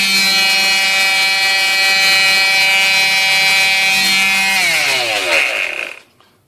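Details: Black and Decker orbital palm sander after repair of too-high resistance from bad wiring and loose connections, now soldered: strong, steady high-pitched buzz that winds down smoothly at switch-off; normal running with no burning smell.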